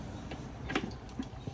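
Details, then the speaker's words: Grand Prix GXP 5.3 LS4 V8 transmission reinstall: torque converter, pre-filled with a quart of fluid, pushed onto transmission; few soft distinct clicks about half a second apart, listening for three clicks showing it fully seated. "But now I'm going to put the torque converter onto the tranny. So keep in mind we have to listen for 3 clicks."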